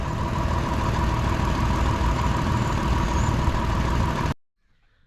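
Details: 2004 Mitsubishi Montero, not fully at operating temperature, after a no-start fix: steady, even idle just under 1,000 rpm (meter about 820–840 rpm) with no knocks, misses or hunting; engine running normally.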